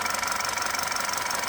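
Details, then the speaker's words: Ex-police BMW G31 5 Series Touring idling on battery with accessory belt removed (no alternator, water pump): steady even pulse, no whine, much quieter than before; whine suspected from alternator under load or water pump. "and it's way quieter than what it was before."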